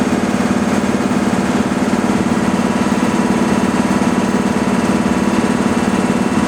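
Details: Breathing-air compressor filling the high storage bank first, pressure climbing: even, steady mechanical chug at about three beats a second with a constant hum, no knocks or rattles. Normal running.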